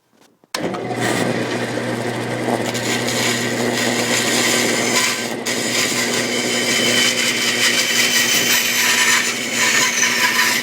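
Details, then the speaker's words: 1948 Delta Milwaukee 14-inch vintage bandsaw on open steel stand, cutting curves in oak: steady motor hum with a smooth, even rasp of the blade through the hardwood, no ticking or rubbing; normal cutting. "I cut out a whole bunch of test pieces of oak, even double cross-cutted some pieces of oak, but I'm going to try to cut some curves with this saw."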